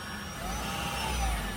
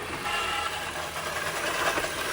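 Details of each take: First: 2017 Ford C-Max hybrid after HF35 transmission replacement, running after test drive: faint steady hum and light whine with nothing rough or grinding; normal new transmission noise. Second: 2017 Ford C-Max hybrid, HF35 transmission at end of life, started in shop: running drivetrain with irregular skipping clatter over the hum; transmission also squealing, due for replacement.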